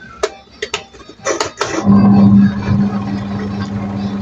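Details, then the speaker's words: Toshiba VH-J120MM semi-auto washing machine, wash timer on: knob clicks, slow push start, then the wash motor hums low and steady turning counterclockwise and clockwise with no grinding or squeal; wash section normal. "Ok, dia pusing lawan jam, tak ada masalah. Dia pusing ikut jam. Ok, untuk bahagian wash tak ada masalah."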